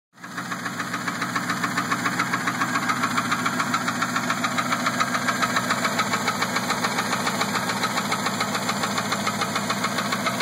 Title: Ticking sound